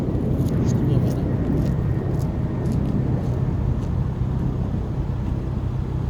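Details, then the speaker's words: 2011 Volvo C30 T5 R-Design with Simons sports exhaust and 3-inch downpipe, driven slowly around a parking lot. A deep drone with a rough low buzz comes from the rear muffler, mainly on deceleration around 2,500 rpm. "My exhaust muffler, the muffler in the back has been buzzing."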